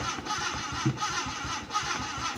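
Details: Honda City cranks but won't start; check-engine light stays on and the fuel pump gets no power: starter churns steadily, about three turns a second, and never catches; failed main relay, located far in the back.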